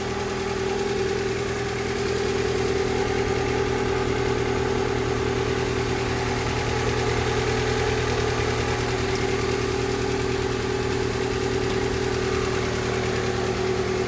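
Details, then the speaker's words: 2003 Honda Civic, just after a complete engine overhaul for an oil leak, left idling to reach temperature; some residue is burning off the exhaust, which the owner deems acceptable; steady, even, smooth drone with no knocks or misses: normal idle. "It burned off whatever was in the cylinder. That's very positive. So we're going to leave it run."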